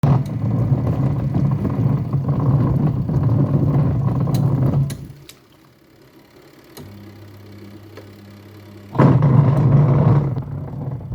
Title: Twin tub washing machine with a rumbling sound when washing